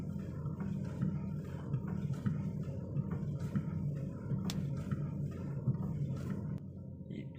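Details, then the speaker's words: Proton Saga MC2 at idle or driving, wheel turned left or right: low groaning drone with a light knock about twice a second; steering rack, shaft, or something loose suspected, cause unclear. "you turn to the left or right sometime you have like a Duke Duke sound I don't know what sound is that I don't know whether is it staring rack problem or so or not I'm not sure"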